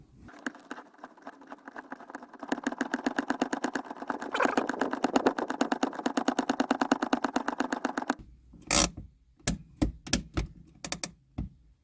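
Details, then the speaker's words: Gen 3 Toyota Hilux Surf, just after fitting and adjusting new rear brakes: a fast run of handbrake ratchet clicks, then slower separate ones. It counts about ten clicks, eleven if pulled hard, against a 7–9 target, so travel is slightly high. "seven nine ten i can get eleven if i really pull it"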